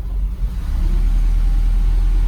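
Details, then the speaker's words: Mercedes SL500 started in the morning on gasoline, before Sea Foam treatment, throttle being modulated: low, lumpy rumble that surges and sags, like a tractor, wanting to die. Rough running; owner suspects bad gas confusing the O2 sensor. "It will run on it, but it's obviously not right. Sounds like a friggin' tractor."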